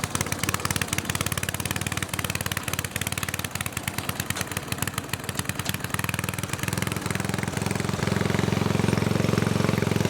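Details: Snowflite snowblower, fresh gas, hand pull-started. Small single-cylinder chugging at a quick, even beat that rises slightly as it warms, with no skips. Normal running.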